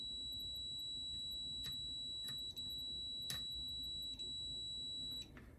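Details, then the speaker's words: Bench test of a Gottlieb System 1 MPU board from a 1979 Count Down pinball: a switch-matrix input drives the chime solenoid output (buffer chip pins 5, 9, 11), giving a clean steady high beep among switch clicks; working normally. "so it's inputting a switch and outputting a solenoid to fire the chimes."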